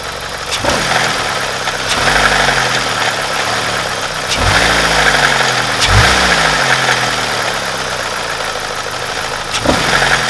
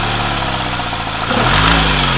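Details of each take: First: BMW N42 petrol engine idling with a busy metallic timing chain rattle; faulty exhaust-side camshaft adjuster (VANOS). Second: BMW N42 petrol after replacing the faulty exhaust-side camshaft adjuster (VANOS): smooth, even idle with a light throttle blip and no more timing chain rattle or ticking.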